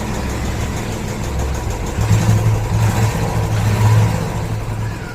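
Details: Engine idling after tappet noise fix by cleaning the clogged oil filter screen and washing it in petrol: steady low thrum with slight mid rise in revs, no ticking; top end now silent.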